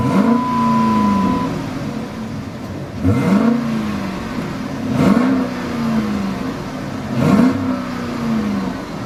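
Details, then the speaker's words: 2007 Dodge Charger, Sublime green package numbered car; engine started and given three clean free-rev blips rising smoothly and falling back to a steady idle, no knocks or misses, recorded from inside the car; healthy V8 revving. "Sounds good in here. I don't know what it sounds like on the recording. Hopefully nice."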